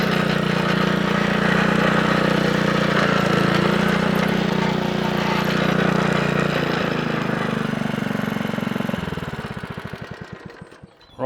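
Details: Honda Lawnflight 553 HRS Pro mower with Honda GCV160 engine, after gearbox rebuild (drive had gone), drive test: steady single-cylinder drone, clean exhaust beat, no knocks, winds down smoothly; mower and drive healthy.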